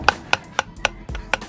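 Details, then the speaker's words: Original drivers-side driveshaft from MK2 Ford Focus ST225, off the car and turned by hand: sharp, uneven click about every quarter second from the inner CV joint with worn-out bearings, causing vibration at motorway speeds; outer joint feels fine. "gone out that is ruined the end one that one feels all right but that in one that in CV joint is where we're getting our vibration"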